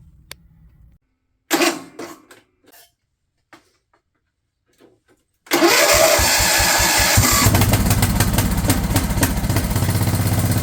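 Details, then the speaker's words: Craftsman LT1000 riding mower/tractor, cranked with a previously rejected replacement starter, catches after a few clanks and runs with a coarse, slightly uneven thump; the carb's fuel solenoid wire was found cut off, causing the rough running. "Well, that's not exactly what I was expecting. It's been cut off. That explains why it was running so funky."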